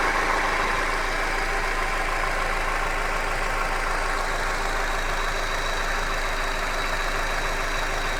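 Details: Hyundai Accent engine idling with a steady, fairly quick knock about three a second; an internal knock, source not pinned down.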